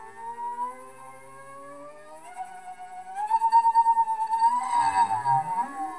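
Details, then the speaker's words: Large NEMA 34 stepper driven by an Arduino, ST-M5045 microstepping driver and 24V supply: clicking, rising tone breaks up and drops away during a fast ramp; stepper stalls, suspected acceleration too quick for the motor. "I have to think that that means the motor is unable to handle that quick of an [Music] acceleration here it kind of stalls out there"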